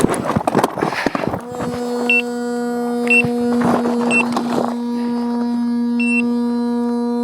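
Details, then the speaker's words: Gotway EXN electric unicycle opened up, cooling fan running: loud steady droning tone with buzzy edge and occasional high chirps; noise began right after the wheel fell over during trail riding. "now okay i assume that's the fan oh well oh my that doesn't sound good"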